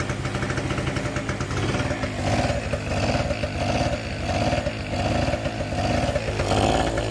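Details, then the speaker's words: Two-stroke generator needing carb clean, leaking fuel badly from carb, no front cover: rough running that hunts up and down about every second, never settling; surging and smoking, overfuelling from stuck float. "Cuff smoke as well, like when he takes over fueling, the float's stuck, because when you've got something quite high voltage running off it, it kind of pulls"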